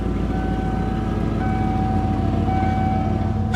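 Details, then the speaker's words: 1995 Ford F-150, non-runner, running after reconnecting a suspected shorted sensor/computer, low on coolant: even steady engine beat with no knocks or misses; slightly rough on throttle. "There it is. It did not die. It runs great."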